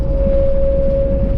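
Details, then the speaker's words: Camper van with newly fitted Thule roof rack, at cruising speed: loud steady single-pitch howl over low road rumble, wind whistling across the rack bars; described as horrible high-frequency vibration. "Absolutely horrible. It's a high pressure, or high, what's it called? High frequency vibration or something."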